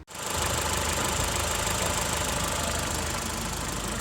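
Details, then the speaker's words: Ford EcoSport with Sigma engine after timing belt replaced and set with crankshaft lock, fixing a loud rattling, valve-knocking noise: even, steady idle with smooth hum, no knocks or squeals; runs like new. "aí, motor funcionando, carro zerado."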